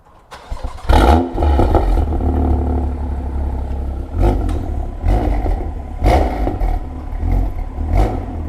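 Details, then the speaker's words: BMW M2 LCI with iPE exhaust on factory valve actuators, cold start after removing washers to fix actuator spring rattle: engine settles into deep steady cold idle with blips, no exhaust rattle; fixed. "What do you think? Is that fixed? Good. That would have definitely rattled being this cold, wouldn't it, before? Yes, 100%."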